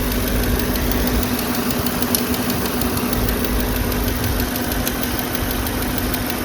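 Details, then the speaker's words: Audi A8 D5 at idle: a sharp, regular light tapping tied to engine speed rides over a steady idle, a fresh top-end knock; the sound is clearly localized near the cylinder head, as if a rocker came off. Cause not yet confirmed. "Звук явно в этом районе. И звук такой, как будто там рокер слетел."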